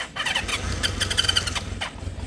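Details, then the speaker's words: 1976 Honda CB550 four parked 48 years, on carb cleaner sprayed into the airbox: short ragged burst of uneven pops and sputters that never settles into idle, as the jump starter gives out; brief sputtering start. "But it sputtered, and it did break the top off my carb clean."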